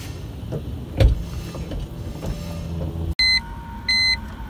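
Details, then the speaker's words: 2004 BMW E46 330ci SMG transmission pump, tested when opening door and with ignition: two short, even electric whines of about half a second as the pump kicks on and shuts off cleanly; healthy SMG hydraulic pump. "hearing the pump activate when I open the door was good but now we're going to try it with the ignition I hear it going that's good"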